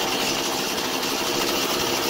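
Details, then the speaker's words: Husqvarna 440 chainsaw running after carburetor repair, idle speed initially fast and being set with the 'T' screw while the engine runs; high, buzzy two-stroke note steady and even, no misses, sputter or surging. Normal running. "Tôi đã nổ máy, nhưng tốc độ nhanh, phải không? Chế độ chạy không tải được điều chỉnh khi động cơ đang bật."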